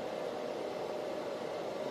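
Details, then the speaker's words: Antminer L3+ ASIC miner on an 1800 W power supply, running at startup after swapping to quieter fans front and rear: steady, even fan hiss with soft hum near 600 Hz, no rattles or pulsing; far quieter than the original fans. "but right now even at the start up we can we can notice that the noise is way lower than before both fans are running from the front of the rear"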